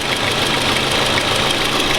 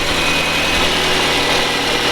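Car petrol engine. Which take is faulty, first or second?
first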